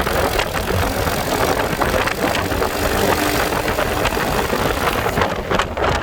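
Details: Icebear Fuerza motorcycle that won't start cold, owner suspecting a lean air-fuel mixture, running after starter fluid was sprayed into the air filter: steady even idle with a smooth exhaust beat, no knocks or misses; normal idle.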